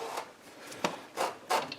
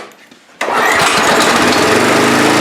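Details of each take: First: Free seized pressure washer small engine turned back and forth with a bar, not running: dry, gritty rasps with each slow turn; rust scraping inside a partly seized cylinder, trying to break the ridge. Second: Pressure washer on fresh gas, air cleaner off, cold, choke on, throttle up, thin mystery oil in crank: catches after brief crank, settles into steady, even buzzing run with slight dip midway; runs.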